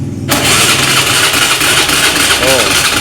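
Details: Motorcycle whose starter cranks but won't start despite a reportedly new battery, fuel pump heard not running with ignition on: starter whirs steadily for a few seconds, engine never fires; crank-no-start, weak spark plug suspected, not confirmed.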